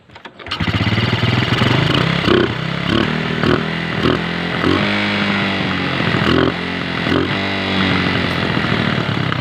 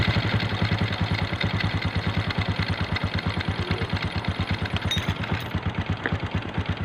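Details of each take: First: 125 motorcycle runs rough and uneven, stumbling under revs and stalling; fixed by replacing the carburetor. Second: Small 125 motorcycle that was misfiring and stalling now runs after a new carburetor is fitted, idling with an even, steady putt-putt and no skipped beats.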